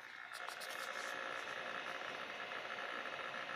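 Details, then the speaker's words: MFM hard drive in an 8088 PC during a disk speed test: quiet, rapid irregular ticking and chattering from the heads seeking over a soft whir; random access is suspected, and the seek noise is normal. "J'aime ce bruit. Ah, accès aléatoire, je pense."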